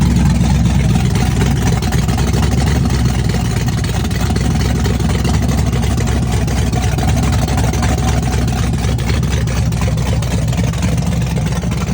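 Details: Chevrolet S-10 with a big cam on open headers, cold start with Holley red electric fuel pump: loud, choppy rowdy idle loping about four beats a second with deep uneven exhaust pulses; cam exhaust lift 480/488, advertised duration about 297; normal lumpy cam idle.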